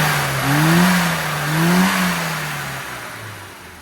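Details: Classic Mini with A+ 998 engine and HS4 carb, after replacing over-rich needle with a custom needle: two clean blips rise and fall to idle without stumble or pop; fuelling now correct.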